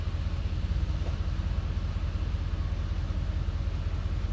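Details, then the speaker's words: 1973 Chevy C10 with fresh 6.0 V8 swap: deep steady idle with a light rattle repeating two to three times a second; owner first suspected flex plate, then found the cold air intake rubbing the fan via an odd bracket. "I don't know what that rattle is. I got no mirror. Sounds like the flex plate's hitting something."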